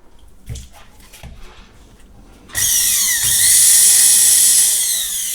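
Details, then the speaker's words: Bosch MSM6250 400 W motor after cleaning and oiling: high steady motor whine spins up quickly and holds even pitch, no rattle or grinding; motor healthy, though a separate part later suspected of a failed bearing getting hot. "Sounds very nice. Sounds very good."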